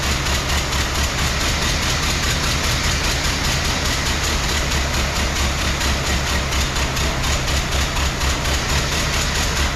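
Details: 1914 Ford Model T, hand-cranked with one rear wheel jacked up, starts easily but runs with a loose, lumpy, skipping chuff, apparently on three cylinders. Ignition coils, spark plugs and compression are being checked; the cause is unconfirmed.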